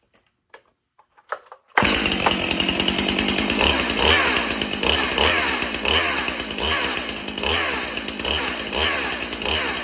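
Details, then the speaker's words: Stihl MS361 Farm Boss chainsaw, not held wide open: roaring with a loud, harsh, clattering chain noise because the chain is sitting on the wrong sprocket. "That is the wrong sprocket that chain is setting on. That's why I don't want to hold it wide open because it'll mess something up."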